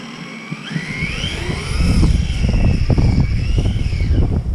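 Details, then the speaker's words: RC car on snow and ice after swapping to a 15-tooth pinion, mesh set with paper, speed run: high whine rising and falling with motor speed over tyre noise; drivetrain whine, owner feels mesh too tight and should be backed off. "Sounds like the mesh needs to be just backed off by here."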